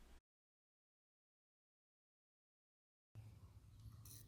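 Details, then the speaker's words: Toro walk-behind mower that wouldn't start, fuel line disconnected from carb and tank draining, primed a few times: brief silence then the single-cylinder engine picks up with a steady low pulsing beat, running evenly on residual bowl fuel. "I was kind of surprised to see that it was still running after I stopped putting fuel in it. Remember, the fuel line wasn't even connected to the carb, and there's no fuel in the tank because we're still draining it."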